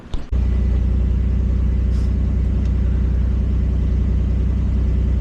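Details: 1991 Camaro RS just after the fuel pump and sending unit were replaced and the gas tank refitted: a short crank, then it catches and settles into a steady, even low idle with no misses or knocks, running fine.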